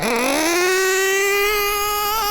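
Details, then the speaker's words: Nitro RC engine during carburetor tuning, high-speed needle leaned in eighth turns; punched from tick-over to full throttle it climbs unevenly with a bop-bop-bop before settling; rich mixture bog on acceleration. "do you hear that? Bop bop bop bop. Still really rich. Listen. If we go we go from tick over punch full throttle. Look what happens."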